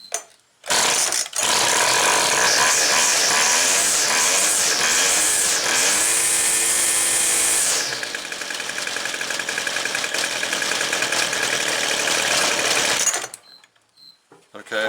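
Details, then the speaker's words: Two-stroke Weed Eater string trimmer, not run for a while, cooled after last running hot, started with choke: high buzzing revs dropping to rougher lower burble, seemingly running slightly rich, carburetor needs tuning. "now it's cooled down a little bit and it acts like it's going to be running just a little bit rich"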